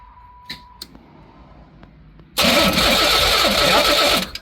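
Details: Pontiac Fiero after sitting for years, spark confirmed at coil and cap: nearly two seconds of steady starter whirring with no catch; cranks but won't start. Stuck injectors suspected.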